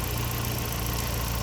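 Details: Ford Sierra RS Cosworth after four new injectors cured a hot-start fuel-pressure drop caused by leaky injectors; pressure rising 0.5 bar with the vacuum pipe off. Smooth, even idle with a steady low pulse, no misfire or knock. Engine idles healthy.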